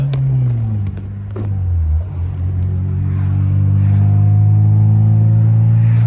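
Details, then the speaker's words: Acura RSX Type S driven on the road with exhaust leaks in two or three spots, suspected wrong bolt sizes and a bad gasket, and a poor-sounding resonator: a heavy, deep drone swells with engine speed; leaks suspected, not confirmed. "does all right it's definitely a little bit loud but if I could fix the exhaust leaks I'm hoping that might help"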